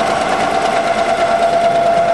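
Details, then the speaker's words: Brew vacuum furnace (480 V three-phase, 60 Hz), vacuum pump pulling chamber down, gauge from 0 past 15 toward 20, furnace itself off: even, steady mechanical drone with constant mid-pitched tone, no knocks or surging; vacuum pump working normally. "You know the vacuum pump works, and it's doing a fairly quick job of sucking all the air out of the chamber."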